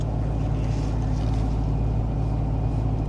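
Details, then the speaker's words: 2000 Toyota Camry with a cylinder 4 and random misfire, after new Denso wires were fitted and codes cleared: starts and idles low, smooth and even, firing cleanly. "Okay, I cleared all the fault codes. Let's start it up. Runs beautifully."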